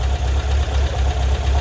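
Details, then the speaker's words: 1978 Volkswagen Bus 2.0 L engine, resealed and converted from fuel injection to carburetor with a new carb kit. Timing is set, valves checked, choke on, first start. Low, steady chuffing idle with no knock. Normal idle. "Like she's happy. Choke's on. Valves have been checked. They're running pretty good."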